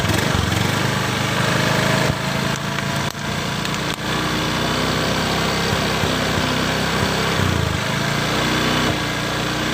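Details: Honda Beat PGM-FI scooter with a sputtering complaint, wiring in the engine box sprayed with water to find electrical leakage: engine keeps buzzing along steadily with no stumbling or dropouts; that area checks out fine.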